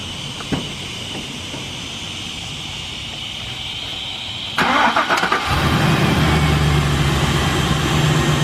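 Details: 2005 Chevy Express G2500 with the 6.0 gas V8, just after a water pump replacement and coolant refill. Brief cranking, then it catches cleanly and settles into a steady, even low-rumble idle, left running so the thermostat opens.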